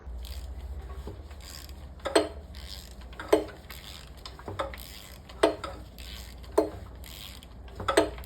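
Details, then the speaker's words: Used 4.6 L DOHC engine, sold as 100k miles, running fine and just a little smoky, heads removed and turned slowly by hand: sharp metallic clunk about once per turn; possibly a loose wrist pin. "I don't hear anything. Maybe a loose wrist pin. I don't know. Sounds good to me. Just a little smoky."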